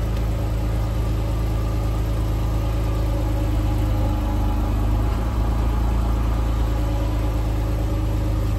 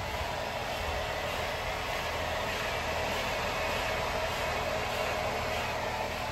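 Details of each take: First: Lifted Jeep JK with Dana 44 rear axle and Revolution 5.13 gears, wheel spinning: steady, even low drone with no whine, hum or clunk; normal axle operation, used for comparison with a noisy Jeep JL axle. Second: Jeep JL rear axle with new Revolution 5.13 gears, Ox locker, Yukon chromoly axles, seals and bearings: a steady, even grinding roar that persists with the wheels and a rotor off, so it is not the brakes. The owner later suspected the housing and replaced the axle.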